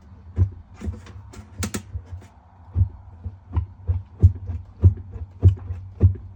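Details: Whirlpool top-load washer: low motor hum with uneven clicks and thuds about 100 a minute, drive running but basket not spinning; tub hub suspected.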